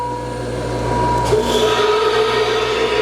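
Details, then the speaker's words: Grinder with conveyor and variable-speed workhead (up to about 300–400 RPM): conveyor motor hums steadily, then a second lower tone joins as workhead spins up, smooth and even; normal motor running. "You can hear the motor running over there."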